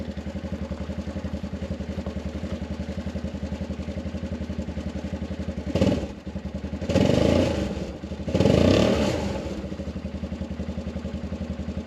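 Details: Arctic Cat 500 ATV in near 0°F cold, after no-crank no-start with only clicking and a weak battery (200 CCA, 34% health): steady even putter at idle with clean throttle blips rising and settling smoothly; running healthy.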